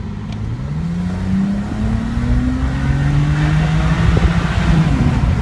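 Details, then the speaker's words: 2008 BMW E90 335xi N54 twin-turbo, stock, fully warm, accelerating under full throttle: rising drone broken by brief stumbles; intermittent misfire despite new plugs, coils, HPFP and cleaned injectors, no codes; cause unknown. "and there was a misfire"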